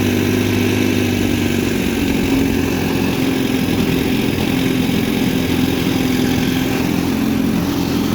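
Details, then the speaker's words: 1960 Scott-McCulloch 12hp outboard with a 14.1hp McCulloch powerhead, 24:1 mix, idling after restart while shown in reverse: smooth, even two-stroke burble, no misses, surges or knocks; decent normal idle once adjusted and happy. "Pretty decent idle on this once it's adjusted and happy."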